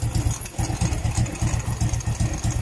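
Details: Euro Sport R125 (ESR125) motorcycle idling: rough, lumpy idle with a loud pulsing puff on each firing; noise suspected from a leaking exhaust gasket/O-ring at the pipe joint, replacing the O-ring suggested.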